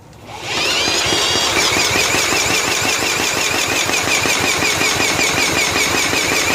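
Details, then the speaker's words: 1995 John Deere STX38 cranked at half throttle with choke and ether: steady whir near three beats a second, never catches; it has spark and compression, so a fouled spark plug is suspected. "So we didn't run. Let me tell you, it's got compression. So, we probably got a fouled sparky plug."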